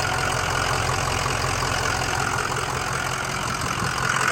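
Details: 2005 Ford Excursion Limited 6.0L Powerstroke diesel 4WD, freshly rebuilt engine, 138k miles: steady, even diesel clatter at warm idle with an unchanging beat and no knocks or misses; no blow-by, normal healthy idle.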